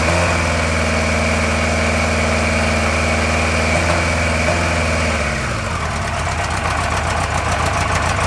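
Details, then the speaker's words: NGR motorcycle, four-cylinder, starts easily: idle with odd uneven purr and hollow gap in beat; exhaust header on cylinder 1 cold, dead cylinder, running on three. "elle a démarré très bien mais la sonorité toujours un petit peu bizarre et ces bruits un peu de ronronement curieux ce que j'ai fait du coup c'est que bah j'ai mis ma main sur les collecteurs d'échappement et j'ai vu tout de suite que le cylindre numéro 1 il était froid"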